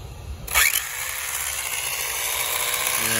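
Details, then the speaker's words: Tamiya TT-02 RC car (TT02FAST) with new gears and much more motor power, maiden run at full throttle: high motor whine with rough, gritty grinding, gears and screws failing under too much power. "we got a little bit of grinding going on something's not right here"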